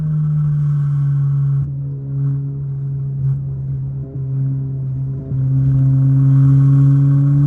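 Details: MK7 VW GTI at full throttle in second and third gear across the RPM range: low engine drone dropping out in short stumbles every second or two. Fuel cut sputter at wide open throttle, cause unknown.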